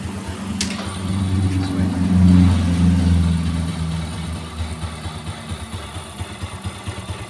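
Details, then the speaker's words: 4-stroke Yamaha underbone motorcycle (Vega/Jupiter type) smooth in neutral but rough in gear: low idle thump turns coarse and lumpy with a crunching sound, about three uneven pulses a second, from the right engine side; sounds like a broken clutch one-way cage. "Sekali lagi saya coba nih ya krusuk-rusuk kresek kresek kresek kayak gitu suaranya ya"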